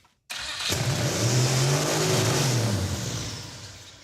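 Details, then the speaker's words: Turbo Mazda engine ('Mazdarati 2.0') first fire-up: fires and immediately screams to a high, sustained rev that won't drop; throttle stuck wide open, engine also spun backwards. ">> Throttle stuck open much. It's also in reverse. Yeah, it was spinning backwards. But also, didn't it rev to the moon?"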